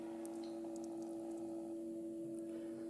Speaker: so it's quite a whne and if I disable the loud pump if I disconnect it so you can't even hear the other one that's what they should both sound like